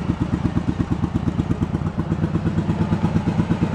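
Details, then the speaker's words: Yamaha Virago 1100 V-twin after carb rebuild, being synced with vacuum gauges, revved: lumpy idle thumping about three times a second with one beat heavier, one cylinder pulling harder; carburetors unbalanced, awaiting adjustment. "So you see one's pulling harder than the other. It's still favoring that one cylinder all the time, so hopefully all that'll kind of come together once I tweak them."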